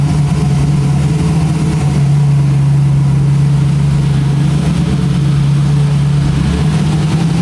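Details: So-Cal Speed Shop Roadster small block Chevy V8 running after mechanical fuel pump replacement: loud, steady even low drone with no knocks or misses; engine sounds healthy and smooth.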